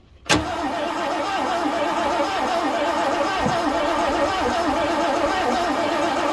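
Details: 1967 Ford Galaxie sitting 35 years, cranking with ether sprayed into the intake: steady starter cranking with even compression pulses for several seconds, never catches; cranks but no start, spark to be checked next.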